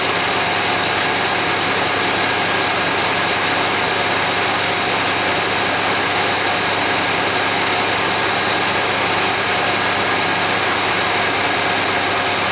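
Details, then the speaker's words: 1991 GMC Jimmy fully warmed up, about 16°C (55°F) ambient: fast, even idle that never drops back to normal, no clear miss or knock; flammable spray found no vacuum leak, owner suspects an air-fuel or other sensor sending false information. "that was disappointing i used the flammable one so apparently i don't have a vacuum leak now the idle is still high it's up to temperature it's idling high"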